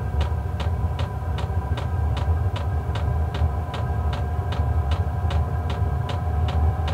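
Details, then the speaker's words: Portable diesel heater starting up at about 45°F outside, heating a Clam X-500 ice tent: steady low hum with sharp fuel pump ticks about twice a second, ticking deadening as it ramps up; normal running, no smoke. "you'll hear the clicking at first but it does deaden out after it gets going here so it's just priming right now and then you kind of hear more of the vent and the air sound coming out more than the ticking from what I've noticed"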